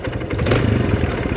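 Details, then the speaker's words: Kawasaki Barako single-cylinder motorcycle brought in for a noise: idles with a heavy, uneven low knock on each exhaust beat; judged connecting rod knock, not timing chain. "sabi naman ni Timoy, Wala, hindi yan timing chain. Connecting rod nga."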